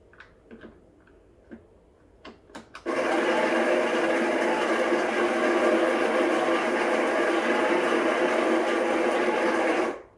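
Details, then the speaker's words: Breville Barista Express BES860 built-in burr grinder at grind size 10, dose dial at 12 o'clock: a couple of clicks then steady even whir about seven seconds, clean stop; normal burr grinder operation. "so it's at number 10 here in this grinder dial the grind size dial and in the dose it's at 12 o'clock"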